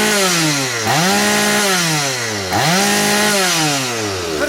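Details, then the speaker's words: Stihl 180 chainsaw with a replaced piston, hot, after adjustments to cure its hesitation: two full-throttle revs climb quickly to a steady high scream and drop back without stumbling or bogging. Normal full-throttle running. "увагу повний газ Отака от друзі ситуація"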